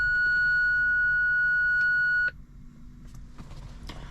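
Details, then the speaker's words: BMW E46 320Ci coupe park-distance control (PDC) fault, engaging reverse: a steady unbroken high beep for about two seconds then cutoff, the system's fault warning rather than a distance pulse; fixed by replacing sensors. "and after this long beep, it's not working. It's also not showing exactly what's really happening. Like, I cannot really understand from this long beep, but this definitely shows that I have some problem with the Parktronic system."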